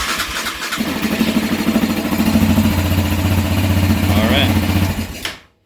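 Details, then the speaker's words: 2020 Yamaha Raptor 700 after Power Commander and Dynatek Fusion install, fuel line reconnected: starter churns briefly, then the single catches and settles into a steady, even thumping idle before shutoff; clean, healthy start. "should be able to key it on, hear the fuel pump run. Since we did disconnect fuel pressure from here, it will take a second to crank over and eventually start"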